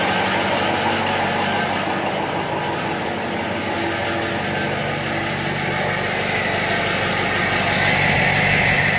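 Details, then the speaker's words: 2006 Ford F-550 4x4, 6.0 L diesel, idling after a drive, heard walking around the exhaust: loud steady rushing hiss over even idle; owner suspects a plugged catalytic converter, not confirmed. "Yeah. So, I'm pretty sure that that um catalytic converter is uh plugged up. So, I'm going to have to take a look at that."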